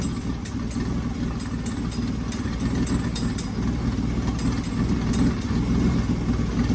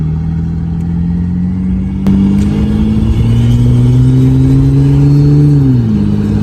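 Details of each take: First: 1995 Ford Taurus 3.8L V6 with big turbo: idle mostly steady with irregular stumbles now and then; running much better but a slight misfire remains. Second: 1995 Ford Taurus 3.8L V6 with big turbo, freshly built, driving: strong smooth drone climbing steadily under load then easing off evenly; engine pulls cleanly, running good and sounding great.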